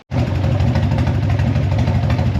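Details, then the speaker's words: Harley-Davidson Evo 1340 Heritage after the idle was raised, warmed up a little with the choke off: a deep, steady potato-potato beat with no misses or stumbles, normal idle. "All right, that's better. No choke on now. It's warmed up a little bit and it seems to be idling fine."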